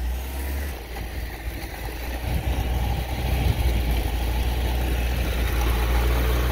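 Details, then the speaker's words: 1987 Toyota 2WD pickup with a 22R engine that won't idle, held at a very low idle almost dying while spraying Simple Green to hunt for vacuum leaks. Slow, lumpy, uneven firing that sags near stalling; no leaks were found. "try to do a lower idle where it's like almost dying"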